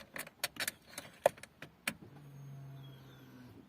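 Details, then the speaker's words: Opel Corsa Z14XEP with a crank-no-start and check engine light: key clicks, then a low steady electric hum for about 1.5 seconds as the fuel pump primes; pump now runs. "There we go. Pump went on."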